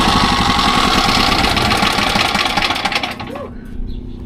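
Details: SDMO 5000W generator, Briggs & Stratton engine (about 18 hp, 296 cc), before repair: steady even running at fast governed speed, then shutdown; engine healthy but output only about 4 V on 120 and 240; previous owner suspected a blown alternator.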